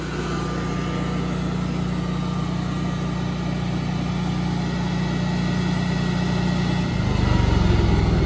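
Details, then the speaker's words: New Generac propane standby generator as simulated utility power returns and the transfer switch moves back to utility before power-down: steady low engine hum with even beat, tone shifts near the end; normal run. "there you go so just switch back we're back on utility power the generator will power down in just a minute"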